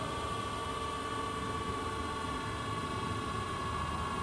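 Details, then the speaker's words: Okamoto ACC-12.24DX horizontal-spindle reciprocating surface grinder, oil shut off, grinding wheel spindle run once more before spin-down: steady, even whir with constant high hum, no rumble, rub or knock; normal healthy wheel spindle. "So shut off the oil. And one more time on the wheel. Sounds good."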